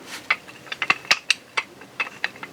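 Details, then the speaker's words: Front drive shaft removed from a 2006 Polaris Sportsman 700, rocked by hand: sharp, irregular metallic clacks from worn, loose U-joints, the rattle heard while riding; the rear one was broken, and new U-joints fix it. "shaky it ain't super bad but the back one was broke so but once you put the new one on there you won't even hear that that rattle"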